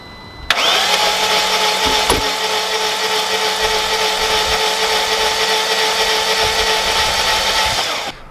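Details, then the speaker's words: 2001 BMW E38 740i project car throwing camshaft position sensor codes: long, steady, high-pitched cranking with very even, quick turnover and no firing; owner suspects no compression, compression test pending. "right guys as you can tell it sounds like no compression"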